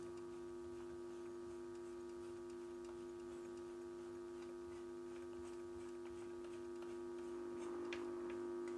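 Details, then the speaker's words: Philips Model 148 tube radio after tube replacement: only faint hiss and steady low hum while tuning across the band, no stations; dead front end, oscillator not working from a shorted oscillator trimmer capacitor. "seems like it's almost like the oscillator is not working"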